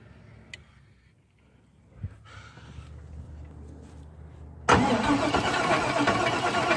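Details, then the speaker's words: Chevrolet Caprice reassembled after short-block teardown showing fuel in the oil, intake not fitted: quiet, then starter spins the engine steadily with loud rough noise but it never fires; cranks but no start. "all right it's all back together the only thing not on is the intake but everything else is hooked up and I'm still not getting anything I don't know what to think but I'll let you listen to it too"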